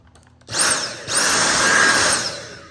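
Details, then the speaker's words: Dyson V8 cordless vacuum right after a battery replacement, motor spinning up to a strong, even whirr with steady airflow and no rattles; running normally. "Okay, battery works. It already sounds like it sucks a lot better. It's running better."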